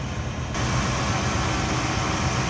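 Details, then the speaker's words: 1971 Chevrolet El Camino, 5.7 made into 383 stroker per previous owner, hood open with headers: deep steady V8 idle, even beat, no misses, knocks, lifter noise or exhaust leak; normal idle. "See how smooth a running V8 that is. Sounds good. No lifter noise, exhaust leak, anything like that. Nice and smooth."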